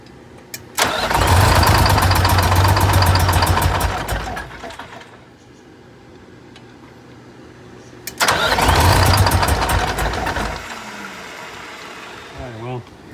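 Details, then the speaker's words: 1985 Bluebird Wanderlodge PT40 diesel gives two long bursts of steady cranking at about four beats a second and never catches. The Racor filter was opened and found empty, so fuel likely drained back to the tank, starving the engine. "our problem we just opened this up we got no fuel in here so we've had this Ray core system open so I guess this fuel's probably drained back to the tank"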